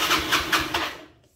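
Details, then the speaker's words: Yamaha Mio scooter that died suddenly while riding and won't restart. It cranks with about five even puffs a second that never catch, then dies away. The kickstarter feels light with no resistance: weak compression, so the piston can't draw in fuel. "nah ini berarti ciri-cirinya kompresinya lemah ya jadi sih piston tidak bisa nyedot bensin dari kardus"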